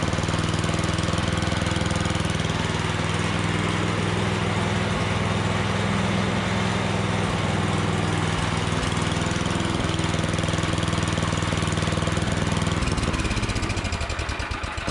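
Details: Troy-Bilt snowblower single-cylinder engine, never maintained, after quick tune-up, cleaned plug and replacement used electric starter: even, steady putter for about thirteen seconds, then winds down and stops; runs healthy.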